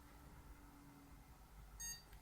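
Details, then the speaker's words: Computer power-on during RAM troubleshooting of a complete working system: CPU cooler and PSU fans hum, then one short high POST beep and nothing after, display appears; CMOS battery/clock issue noted but it posts normally. "one beep display on the screen and it's doing its thing and there you go again it's telling me Simoes check somebody does the battery don't worry about that right so we know it's posting"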